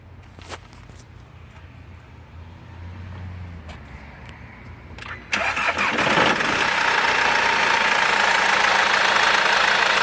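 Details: Mercedes W204 engine after timing chain replacement: catches at once and settles into smooth steady idle with no ticking, rattling or chain slap; normal idle.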